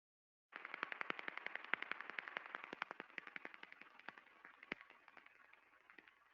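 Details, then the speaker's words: Rolling bearing heard through an SDT airborne ultrasound sensor: sharp crackling impacts repeat about four per second over a hissy background. Repetitive impacting from a bearing defect. "now you can easily hear the impact the repetitive impacting with the Airborne sensor"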